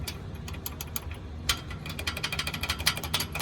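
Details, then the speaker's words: 2019 6th-gen Camaro SS, cammed, with a Hooker Blackheart axle-back: at idle, light, uneven metallic ticking over a soft exhaust burble. The faulty exhaust valve is rattling and sounds terrible once the engine gets going. "is the problem and when this thing gets going and I have a cam so on this thing gets going that thing sounds like absolute just terrible"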